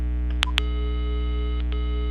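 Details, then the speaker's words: Intelbras Conecta PBX, cordless phone on the extension, tone heard only when the line is seized: steady line tone over a low hum with a couple of clicks; normal dial tone on extension. "Ok, funcionando perfeitamente. Só sai o tom de áudio para o ramal a hora que eu ocupo."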